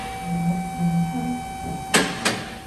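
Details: Short low squeaks repeat as the steering wheel is turned back and forth from inside the car; a squeaking sway bar link pin, confirmed by clamping the link to quiet it; greasing is recommended.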